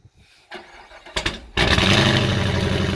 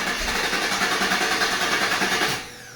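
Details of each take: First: 2019 Camaro SS, 6.2 L direct-injection LT1 V8, with a stuck-open fuel injector, oil found overfull with fuel: brief crank, fires, then a lumpy uneven idle with a recurring stumble; misfire from stuck injector. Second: 2019 Camaro SS, 6.2 L LT1 V8, after stuck-injector repair: engine catches and runs with a steady even beat before cutting off; normal start and run after earlier repeated failed starts, ran perfect.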